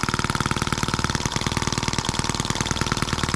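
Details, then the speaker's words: New scale model Atkinson-cycle engine (M14/EM1), first start right out of the box, no throttle: crisp, regular single-cylinder putter about two beats per second, no stumbles; runs pretty good, a bit fast. "that crazy thing runs pretty good a bit fast but listen to it before it was great a cool little engine"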